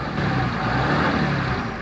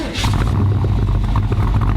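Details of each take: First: Dodge Ram 2500 Cummins turbo diesel, 193,003 miles, four-wheel drive: starts right up, even steady idle with a quiet low rumble and no rattling or knocking. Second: Chevy El Camino, big V8, rear-wheel drive, from Tennessee with no inspection law: loud, raw V8 bark rising and falling with throttle blips, no muffling; the exhaust is straight-piped.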